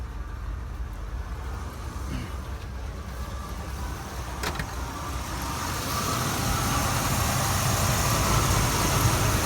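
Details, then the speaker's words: 1978 Buick Electra after a carburetor overhaul, hot day, kicked down off fast idle: uneven, loping idle about three beats a second, then revved; owner suspects a dead cylinder, possibly from a worn distributor button and terminals. "Still laboring. It's almost like we got a dead cylinder at the moment here."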